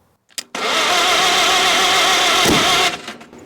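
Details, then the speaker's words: 1945 Farmall H tractor after its first backfire, with a holed exhaust, fuel dripping from the carburettor bowl and sparks at the starter: harsh two-second burst with a sharp bang. Violent cranking with backfire; the carburettor float is not floating. "wow that is violent my float is not floating"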